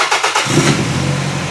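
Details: A 1999 Toyota Camry demolition derby build with a manual gearbox, bypassed starter and simplified wiring gives a few quick cranking pulses, then catches within half a second and settles into a steady run: a healthy start.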